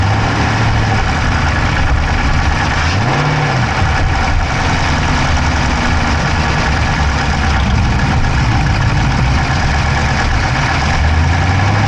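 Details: Dodge Charger Hemi V8 at deep, even idle, recorded inside the driver's-side engine bay: a quick, light clicking on top that is hard to pick out. No exhaust smoke, so the owner doubts a dropped valve; source unknown.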